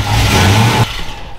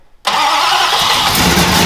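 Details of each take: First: Dodge Coronet big block: deep, strong rev that holds steady and drops back cleanly with no stumble or popping; engine running healthy. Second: Dodge Coronet with new carburettor and distributor but old plug wires, plugs and stale fuel: fires up, then uneven stumbling idle with irregular missed pulses; bad misfire, suspected from old plugs, wires and fuel, not confirmed.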